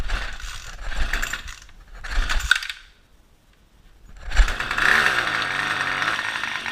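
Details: String trimmer (weed wacker): repeated rasping pull-cord bursts with pauses between, engine never catches or fires; cranks but will not start.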